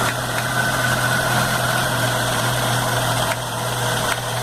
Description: After rebuilding noticed this rattling noise , eventually coming from idler gear (MG 1300 engine)